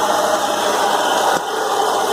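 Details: BMW E36 M3 at idle, noise noticed after a 2-hour drive: steady harsh rattling whirr with a constant ringing tone, confirmed as a failed AC compressor and a pulley probably damaged by play in the compressor.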